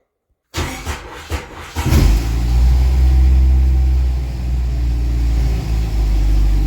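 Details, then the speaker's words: 1988 Jeep YJ abandoned for years, four-cylinder, after exhaust work: brief crank catches into a steady, even low rumble with no knocks or misses; normal running. "there that sounds a whole hell of a lot more reasonable"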